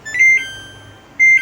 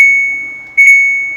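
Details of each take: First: Samsung top-load washing machine, 13-switch PCB, after repair, power on showing 49: three short clear high beeps on pressing start; machine now starts, previously only beeped. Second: Samsung top-load washing machine, 13-switch PCB, powers on and buttons work but start does nothing: two short high beeps, only the start button sound, no valve or motor.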